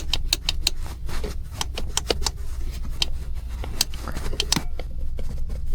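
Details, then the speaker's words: Jeep Grand Cherokee interior rattle over bumps, loudest at right rear: sharp irregular ticks and light clatters over low road rumble from a loose seat adjustment cable, found by tapping the seat. "最终找到2个问题啊，一个问题是座椅调整的拉线，在颠簸的时候会"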